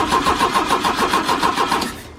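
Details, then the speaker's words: 1972 Opel GT with 32,000 miles, stored for decades: the starter churns at about six even compressions per second for two seconds and the engine never catches. Cranks but won't start; suspected to be flooded. "it's probably flooded now on it"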